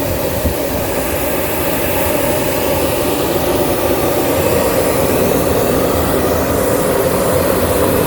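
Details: After EGR cooler cleaning and EGR refitting, with coolant refilled, the engine is started for a check: an even, dense engine rush with no knocks, ticks or surges, holding steady; runs smoothly.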